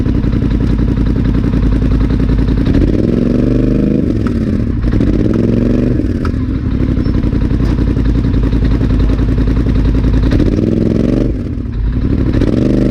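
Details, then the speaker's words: Polaris Sportsman ATV, 29 hours, clunk began right after first dealer service; camera clamped in place: engine running with irregular clattering knocks as throttle comes on and off, more jerky in low and reverse than high; cause undiagnosed. "it definitely doesn't more and lo and more in Reverse than it does it in hi maybe it's definitely more jerky in low and in reverse than it is in high"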